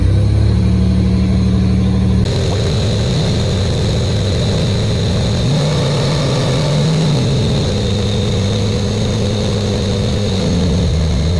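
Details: Buick Grand National with newly rebuilt engine, third and final 10-minute cam break-in run: steady, deep, even fast idle, no knocks, ticks or pitch wander; normal fast idle.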